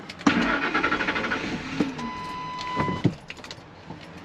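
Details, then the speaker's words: Truck with hard start and no trouble codes, fuel pressure monitored: short, uneven cranking with a brief catch, stalls, starts with throttle, then starts normally a second later; intermittent hard start, cause not yet found. "Stalled out. gave it gas and it started. So, we're going to have to figure out why. And now a second [Music] later, starts up normal."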